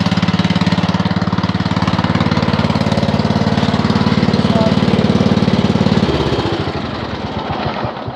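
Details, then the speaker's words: Mower being readied for sale, said to run nice: steady, even low thumping at a constant pace, then it winds down smoothly at shutoff. The engine runs healthy. "runs nice you know but this this mower here is gonna be hopefully gone this week maybe gone today tonight"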